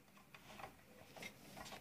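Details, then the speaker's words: Donated faulty device with no blown or leaking components, powered on: faint irregular ticks with no steady hum taking over; suspected the switching power supply fails to start, coils acting like speakers, not confirmed. "ce mot étrange me laisse à penser que les bobines se comportent comme des haut parleurs et que justement le lâchage le découpage de cette alim tout simplement n'arrive pas à démarrer"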